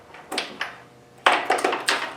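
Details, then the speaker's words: John Deere D110 lawn tractor after an engine swap, first start attempt with battery at 12.5–12.6 V: six sharp separate starter solenoid clicks with no cranking; starter does nothing. "And here goes nothing. Zip, I can hear the solenoid clicking."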